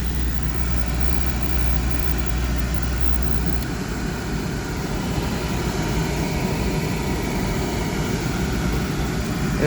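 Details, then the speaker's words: Thermo Pride Spirit series 80% oil-fired furnace, call for heat with oil delay valve: steady, even low roar at flame start, no puffing or pulsing, blower not yet running. Normal burner light-off. "oil delay valve is in action now listen watch there we go flame started well delay valve activate for several"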